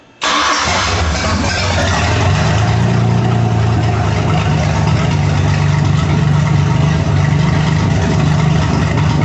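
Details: Mercruiser 4.3 new engine, ground-run briefly in a garage without water: cranks and catches at once, brief flare, then a steady, even idle with no misses or knocks; healthy start.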